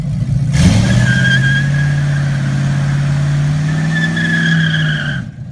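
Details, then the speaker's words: 1988 Trans Am with LS 5.3 swap and new 4L60E transmission doing a burnout: steady high rev with tyre screech, pulling evenly without misfires or knocks; tensioner noted as sounding bad. "yeah there she go that sounds good you gotta get rid of that tension that power steering after that man it's on duty"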